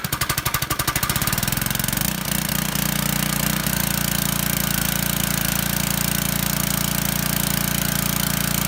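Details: Single-cylinder gas power washer engine that had sat unused for a long time, run after its carburetor jets were cleared with a wire: catches quickly, then settles into a steady, even beat with no misses or surging; runs normally.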